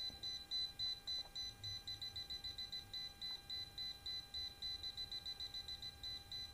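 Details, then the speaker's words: Non-contact voltage tester checking a well water pump cable that won't run: fast regular high beeping, about three or four a second, as it senses the live black phase wire along its length. "ini kabel fasenya yang hitamnya baru-baru ini kalau kita balik kalau colokan kita balik ini dia akan sampai ke ujung sana bunyinya"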